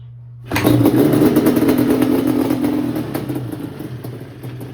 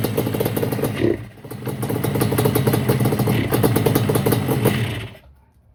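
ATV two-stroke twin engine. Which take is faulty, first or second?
second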